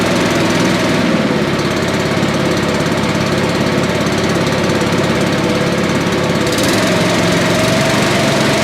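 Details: Billy Goat leaf blower, Briggs & Stratton 9.5 hp single found headed to scrap, sooty plug, low compression, slightly choked: loud steady putter holding speed without stumbling, running properly.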